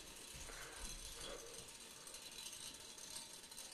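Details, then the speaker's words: Solar wind turbine gearing after maintenance and lubrication in the nacelle: light, dry, continuous ratcheting rattle of the gear teeth with no squeal. The gearing is running normally. "man hört nur noch das gerippe und geratter der zahn werde jeder übereinander laufen das quietschen hat aufgehört"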